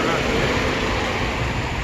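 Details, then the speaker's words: 2012 Ford F-150 3.5L EcoBoost brake vacuum pump, behind driver's side headlight, engine running: loud steady rough grinding roar, pump shaking; original metal pump corrodes internally, chewing up the bearing; recalled 10 years/100,000 miles. "so when i touch it under the wheel over here you can feel it but the whole thing is shaking because it's messed up and the reason that happens is because it corrodes in there the original one is metal and it corrodes"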